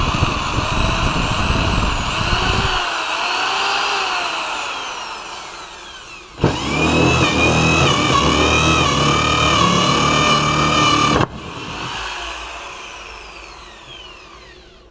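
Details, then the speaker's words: Bosch drill after repair (worn brushes replaced, motor housing cleaned, faulty power cord with a poor contact on one pole replaced) spins up to a smooth, even high whine for five seconds without grinding or sparking, then stops cleanly; normal motor run. "taladro Ya está listo para nuevas batallas"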